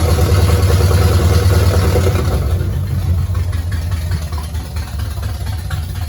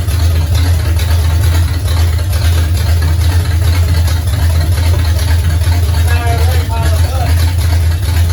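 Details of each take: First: 1969 Pontiac GTO barn find with Grand Prix engine, TH400 transmission and Quick Fuel 750cfm carb, running for the first time in 17 years after wiring work; deep, uneven, rough loping idle, a bit of clatter and smoke, seemingly in gear. Rough idle. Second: 1969 Pontiac GTO barn find with Grand Prix V8, TH400 and Quick Fuel 750cfm carb, after 17 years sitting; loud steady low rumble with even pulse, no knocking or missing, 14 volts charging, smoke off headers, some valve-cover blow-by. Normal running.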